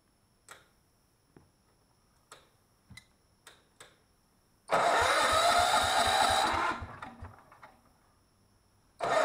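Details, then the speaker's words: Miller Bluestar welder engine, sat 5 years, before carburetor cleaning: a few faint clicks then a brief burst of running that dies within two seconds; fuel in the bowl but not reaching the engine. Fuel starvation from clogged carburetor idle jet. "I had fuel there but I wasn't getting any fuel into the engine so we had to go back and reclaim the carburetor"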